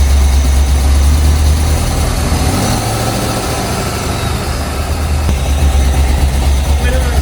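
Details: 50th-anniversary C5 Corvette Z06 V8, about 50,000 miles, idling after injector swap to Siemens Deka 80s: deep, steady burble settling into an even idle, no stumbles or knocks, firing cleanly on all cylinders.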